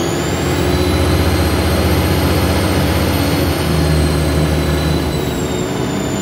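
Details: Arriva Alexander Dennis Trident 2 double-decker bus 5431 on route 24 to Luton: steady high whistle over the engine drone, drifting with revs; loud whine, thought to be the turbo, unconfirmed.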